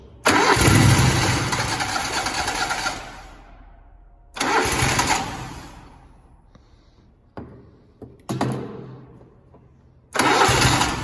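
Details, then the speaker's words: Grasshopper or Toro zero-turn mower sitting about four months, started with sprayed external fuel into the intake: cranks, catches, roars briefly, dies and repeats; spark fine, fuel starvation suspected from stale carburettor fuel. "and it probably needs just a little bit of help getting it primed back up, and probably has a little bit of stale fuel in the carburetor."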